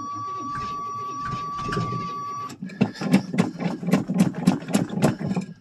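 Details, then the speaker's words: 1985 Chevrolet Suburban plow rig, cold start in snow after a month or more sitting, another battery fitted: chime, then steady cranking about four turns a second without catching; smells gassy, fuel about a year old, suspected. "she smells gassy I just hadn't had gas put in in about a year I don't know how good gas is anymore"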